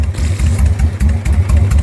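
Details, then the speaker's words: 1999 Suzuki Intruder 1500, 13,000 or 23,000 miles, after the no-start fix of bypassing the decompression solenoid; loping even V-twin idle, steady with no misfire. "every time starts up like a champ have yet to be left on the road do to an electronic malfunction"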